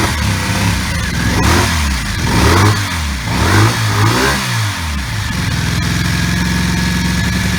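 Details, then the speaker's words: 1984 Honda V65 Magna VF1100C barn find, first run with open pipes: uneven, lumpy firing and hesitant revs, stumbling as if missing, owner says running on two cylinders; smoke from protective bike spray burning off; misfire, cause not confirmed. "so I should start burning off the smoke out the back is not that's because it's running on two so another little job will have to get done"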